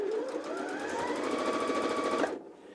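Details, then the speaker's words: New Janome JW8100 sewing machine, first stitches on four layers of cotton, straight stitch 00: steady rapid stitching with smooth rising motor whir, clean stop; sewing normally. "that's the straight stitch so what does this mean zero zero is a straight stitch"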